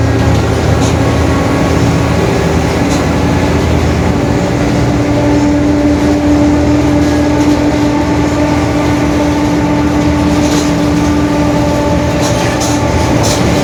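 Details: 2021 Marcopolo Torino S urban bus on Mercedes-Benz OF-1721 BlueTec 5 diesel chassis, extended length, recorded while cruising: steady mid-pitched drone over the engine and road noise, pointing to a growling rear differential.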